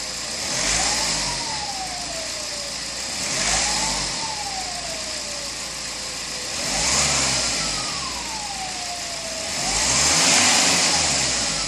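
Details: BMW E60 2.0 diesel revved repeatedly, clear whistling turbo whine rising and falling with each rev.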